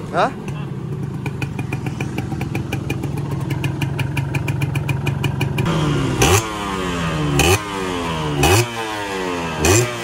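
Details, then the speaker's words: Yamaha 125Z two-stroke, first run after engine rebuild (damaged conrod addressed, magneto checked), stock exhaust: crackling idle, then clean throttle blips falling away without rumble or knock on closing; normal running. "Oke teman-teman, alhamdulillah bunyi yang ketika turun gas ya, war nggak ada ya, udah aman, udah enak motornya. Cuma ini tertahan sama knalpot aja, jadi knalpotnya masih standar."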